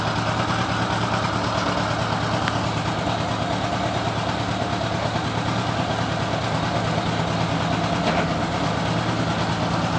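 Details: Honda GL1000 flat-four idling with a slightly lumpy, irregular beat rather than an even purr; owner suspects a misfire, possibly dropping a cylinder, not confirmed.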